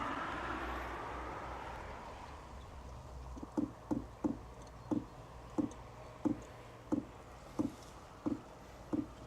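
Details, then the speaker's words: HCALORY TB MAX 8 kW diesel parking heater on startup: soft, even muffled clicks of the diesel dosing pump about 1.5 per second over faint hiss, less loud and metallic than before; normal. "What you're hearing now is the clicking of the diesel pump. It doesn't sound as loud and metallic anymore. It sounds more muffled, but in my opinion, you can still hear it."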